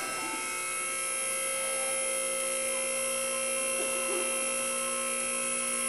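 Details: Shop lift raising a 1994 Chevy Silverado 1500 2WD 5.7L (4L60E): steady high electric whine from the lift's pump motor, constant pitch without strain or grinding; normal lift operation.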